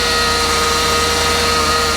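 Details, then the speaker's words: Ford F650/750 truck idling: a steady, high, even-pitched power steering whine over a smooth engine, absent the day before. Owner suspects the power steering pump is failing, possibly after someone topped up the fluid. "all right now I hear power steering noise I didn't hear that yesterday"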